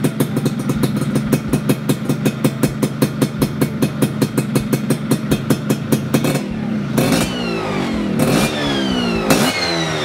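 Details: Yamaha F1ZR two-stroke after reinstalling the reed valve whose leaking petals were sanded flat and reset: steady popping beat at idle, then quick blips where revs climb and drop back cleanly without stumbling.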